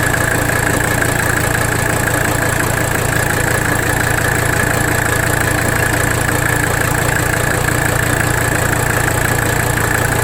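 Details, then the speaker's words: 1985 Mercedes 300D diesel at idle, engine loaded while bottoming the nut and adjusting idle during rack damper bolt adjustment; steady clatter with slightly uneven beat about three a second, still rough — the work did not fix it, cause still unknown. "We're going to make our adjustment to idle. You see that? Watch. You hear it in the engine too. Really rough."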